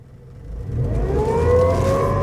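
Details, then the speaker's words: Nissan Primera P12 after bleeding the power steering, revved while turning lock to lock: loud whine rising with revs and steering, no better than before; the few-months-old power steering pump needs replacing. "Oh no. That sounds horrendous. It doesn't sound any better or any different than it did before."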